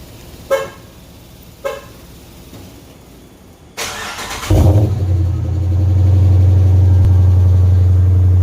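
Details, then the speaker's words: 2015 Dodge Charger R/T 5.7 Hemi with a 392/6.4 intake manifold and 6.4 cam, tuned, on an early-morning cold start. A couple of chirps, then it fires into a steady, deep, even idle with no knocking or ticking. "So let's go ahead and fire it up. We'll do a cold start. Yeah, it's kind of earlier in the morning, so. Alright, cold start with the 6.4 manifold and 6.4 cam."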